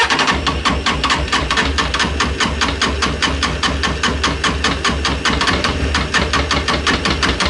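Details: Honda CB600F, about 26,000 miles, misfire on cylinder two, started with choke after draining that carb: uneven, stumbling beat with irregular gaps over a rough low rumble; clearly missing on at least one cylinder.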